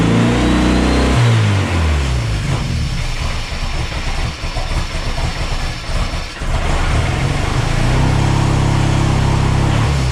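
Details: Mercruiser 140 boat engine swapped into an S10, charging at 14 volts: warm idle climbs on its own and hangs high, then sags and rises again unevenly; warm idle surge, cause not yet found (some fuel pools in intake).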